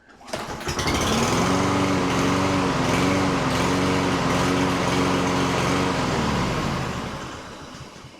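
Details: Lawn mower engine runs but surges and hunts, pitch swelling and sagging about once a second before stalling; tested whether STABIL fuel additives fix it without carburetor rebuild.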